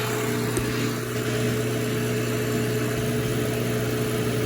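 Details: Vevor 1 hp refrigerant recovery pump recovering R134A from car/truck AC into tank on scale, slow recovery mode: steady even motor hum, constant low drone, no knocks or rattles; running normally.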